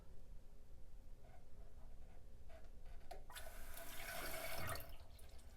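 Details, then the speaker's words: Two-piece Kohler toilet tank: a quiet trickle, then a rising hiss as the fill valve kicks on to top up the tank, an intermittent, pulsating phantom refill; possibly water trickling over the edge into the bowl so the float trips. "and it does this intermittently and that's what i was hearing all right"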